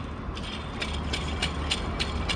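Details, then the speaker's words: 164K-mile Honda Fit with rough idle noise: worn, loose drive belt tensioner pulley with lots of play, gritty rattle clicking about three times a second as it spins; replaced with AC compressor. "pretty noisy and then it was loose there's a lot of a good amount of play in that"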